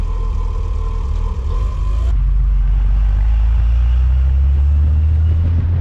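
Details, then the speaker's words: Porsche with a freshly swapped replacement 2.0 Audi engine (new timing and alternator belts, valve clearances checked, new front seal). On first start it settles into a deep, steady drone and revs evenly to about 5800 rpm with no knock or rattle. "okay so around 5800 rpm later I think it's safe to say this thing runs for now"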